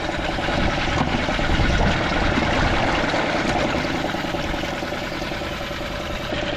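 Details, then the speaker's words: Merc 5 outboard run in water at least 30 minutes, full throttle in forward, restarted easily, peeing good water, no hesitation on throttle; even steady beat easing off without stumbling; normal running. "She fired right back up. Still peeing good water. Still revving up. No hesitation on the throttle."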